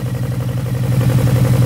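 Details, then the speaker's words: VW Gol GTS, first start after flood, sump water drained, fresh oil, waterlogged ignition module dried: steady low idle with even regular beat, no stumbles or misfires; normal. "até que funcionou bem se você soltar ele vai ficar ligado vamos ver"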